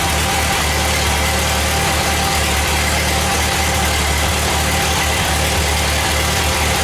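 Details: Ford 8N tractor engine on first run after reassembly, with the carburetor untouched out of the box: an even, low-pitched idle with a steady beat and no misses or knocks. It runs normally.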